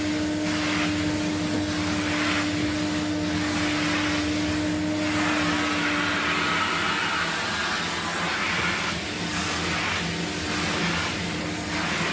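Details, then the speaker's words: 1979 Electrolux Z96 vacuum, floor head on carpet: constant rushing drone with a thin whistle dropping out and slow pulsing as the head moves; motor sounds strained, owner suspects it needs air release. "arpet sounds like it's struggling a bit it's like it needs a release of air or something"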